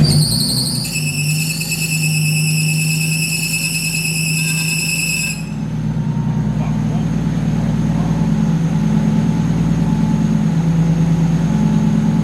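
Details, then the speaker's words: Nissan Skyline R33 RB25DET, first start after rebuild, cold morning: loud steady high-pitched screech over a smooth idle for about five seconds, then only idle; accessory belt squeal, engine otherwise idling smoother than before with oil pressure. "Running a lot healthier. That's belt."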